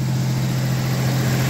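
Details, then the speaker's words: 1989 V6 Mitsubishi Pajero idling after Australian-made stainless extractors and new exhaust studs replaced cracked, warped stock manifold: deep steady even idle, smooth low drone, no ticking or puffing; exhaust sealed and healthy. "stainless steel extractors Australian made [Music] Beauty sounds fantastic"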